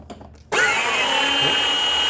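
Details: Kid's Peg Perego John Deere Gator ride-on on a 20V DeWalt battery, replacement motors tested: motor spins up in half a second to a steady high whine with smooth gear hum, no grinding or clicking; healthy after repair.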